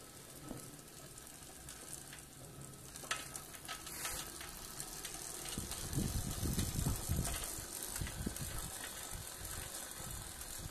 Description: Why is the hub making this crunchy clicking noise (pedalling forward) but not when it's freewheeling or pedaling backwards?